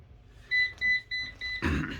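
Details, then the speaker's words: Eufy RoboVac 11C robot vacuum on its dock beeps four times with a red light once fully charged; also shorter run time. Four short high beeps indicate a worn battery needing replacement. "has an error that when it's fully charged on its dock it will beep four times and throw a red light there you go perfect demonstration"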